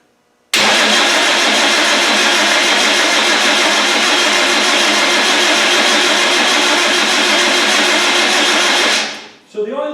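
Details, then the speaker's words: Land Rover 300Tdi diesel after rebuild and installation, first start attempt: starter cranks steadily about eight seconds without firing; injector pipes not yet tightened and injection pump timing uncertain, a fuel problem, not engine assembly. "so let's give it a go and see if it crank up and crank it over for a little while now it won't start so don't worry about"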